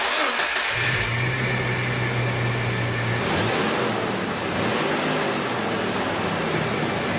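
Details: 2003 Jeep Wrangler Rubicon at startup in a closed garage after its cold air induction was swapped back to a used, rusty OEM air filter system. It cranks briefly, catches and runs steadily with some revving, no misfire or knock. Normal running, quieter than before.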